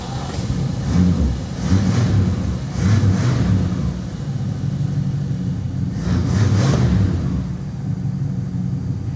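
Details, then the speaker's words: 1966 Plymouth Fury V8 after correcting miswired ignition wiring: deep steady rumble with quick throttle blips rising and settling cleanly, no bucking, surging or backfires; running smoothly. "hear how smooth she runs now that's right no more jumping around bucking surging and no more backfires you can hit throttle and just boom she's good now"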